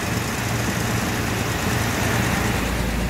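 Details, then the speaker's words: 1973 Jaguar Series 1 4.2 with new electronic ignition replacing points, cold on choke at about 1200 rpm: even fast idle with a steady, smooth beat and no misses or stumbles, smoother cold than on points; runs cleanly. "And by God, it's running smoother cold than it ever has. I don't think it's ever run that smooth cold since I've had it. Certainly never did on points and condenser."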